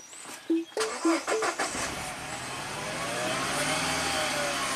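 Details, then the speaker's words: 2010 Mini Cooper, 100,000 miles, after DIY timing chain failure bent valves and head/timing chain replacement: engine starts after chimes and idles with cylinder 3 dead; misfire stays on 3 after swapping plug and coil 3↔4, injector next suspected. "there it is number three is counting up it's dead in the water"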